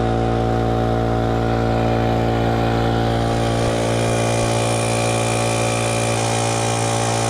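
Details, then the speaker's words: Used air compressor after the regulator was cleaned and the connections Teflon-taped to cure air leaks: a loud, steady motor drone with an even low hum and no hissing. It builds pressure fine with no leaks. "and there you go it seemed to build up to pressure just fine and I hear nothing leaking"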